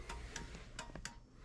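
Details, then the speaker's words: 1973 Chevy C20 after rewiring turn signal and hazard switch panel: crisp paired clicks about every 0.7 seconds in quiet cab as right turn signal flashes, flasher working normally. "so now we can go and swap to the right okay still clicking away obviously there's the right flashing"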